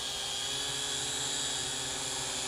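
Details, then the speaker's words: Promark VR quadcopter (no GPS) hovering in altitude-hold mode with no wind: steady high buzzing prop whine holding an even pitch, little drift; motors sound healthy. "So it does hover at its altitude. It does have an altitude hold feature."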